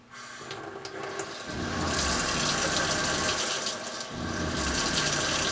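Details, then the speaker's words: Everflo EF5500 water pump in 2002 Cougar fifth wheel RV after replacing erratic, failed pressure switch (spacer added, pressure screw turned in far): soft steady pump hum under slow water flow, no rapid cycling or chatter; works normally. "not a very slow slow flow works the way it should work"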